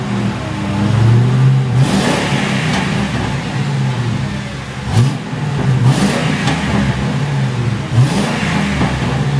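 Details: 2006 Ford Crown Victoria P71 V8, stock mufflers before muffler boring mod, revved while standing behind: deep smooth rumble rising cleanly on blips, back to steady idle, no rasp or popping; healthy stock exhaust.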